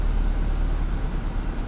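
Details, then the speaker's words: Nissan 200SX salvage car idling with A/C on, a load that previously made idle really bad; low steady idle holds even with no roughness, air cold; normal idle with A/C on. "let's turn on the air conditioning just to really piss it off when you turned on the ac before it made it bad like it really got bad with the air on and the air does work not bad"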